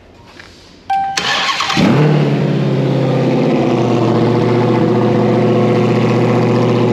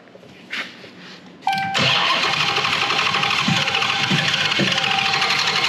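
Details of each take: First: 2021 Hellcat Widebody Redeye V8 run-tested after teardown, after adding fuel to fix an earlier no-start: starter whirs briefly, then the engine catches and settles into a deep, steady, even idle with a clean rhythm; healthy start. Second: 2021 Hellcat Redeye V8 removed for a test-fire, no cooling connected, no gas in it. Starter turns the engine at a fast, even beat but it never catches; crank no start, out of fuel (fuel added afterward).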